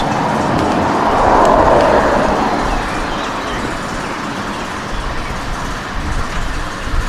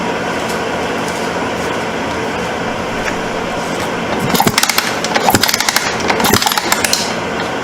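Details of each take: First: 1989 Suzuki RMX 250 two-stroke dirt bike after ignition stator replacement for a no-spark fault: loud raspy run swells briefly then settles into a steady, even run with no misses; engine running properly. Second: 1989 Suzuki RMX 250 dirt bike kicked over after the ignition stator was replaced, with the original coil still fitted: rattling kick-overs with no spark, so it never fires. The coil is suspected next; the cause is unconfirmed.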